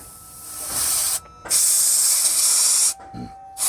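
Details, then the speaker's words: Tata Signa 3718 BS4 tipper that builds air pressure slowly and has weak brakes: the primary tank drain blasts a loud hiss of white, wet air, showing the tank is full of water because the air dryer filter is spent. "ये हवा इतना मोटा जो दिख रहा है, सफ़ेद सफ़ेद हवा निकल रही है, ये हवा का कोई कलर नहीं होता वाइट, लेकिन ये उसके साथ में पानी मिक्स होके निकल रहा है। मतलब हमारी ये टंकी पानी से भरी हुई है"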